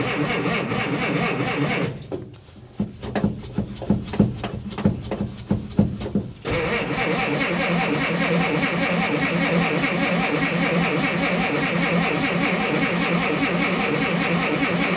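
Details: Old Willys truck in cold, rainy weather with broken choke cable, cranked without choke: starter churns the engine in several long bursts but it never catches; cold no-start for lack of choke.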